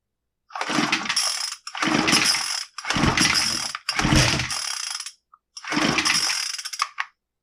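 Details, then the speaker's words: Brand-new Troy-Bilt TB25SB string trimmer that won't start: five rasping recoil pulls with no pop or catch; fuel fault thought unlikely, spark test shows no spark; no-start from ignition fault. "yeah it doesn't even seem to pop so because this is brand new you know I really don't think it's got a stiff metering diaphragm or any other fuel related problem was certainly possible but the odds are better that there's an ignition problem"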